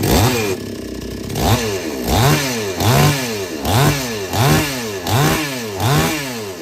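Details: Chainsaw that would not take load or restart after running. After the H/L screws are set fully in, then out three turns, it blips about once a second, revs sweeping up and dropping cleanly without stumble or hesitation: normal running.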